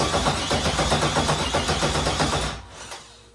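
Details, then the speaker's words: LS3 first start-up attempt, cranking steadily at about four turns a second for two and a half seconds and never catching. Crank no start: injector and coil circuit unpowered; owner cites ungrounded coil units and a starter wire grounding to the starter. "So I've been having issues trying to get this thing started, and everything looks good."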